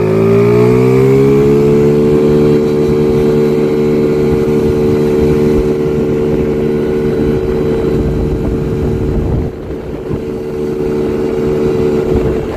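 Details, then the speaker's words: Chinese 50cc scooter after CVT tuning with stock variator rollers replaced by 6.5 g rollers: engine note climbs fast then holds steady as it pulls hard into its power band; strong acceleration, top speed estimated up from 30 to about 45. "yep all right I found the perfect RPM range that is just beautiful beautiful yeah this thing pulls hard now real hard oh it's like it's like it just kicked in and starts to pull really hard that is the power band coming on"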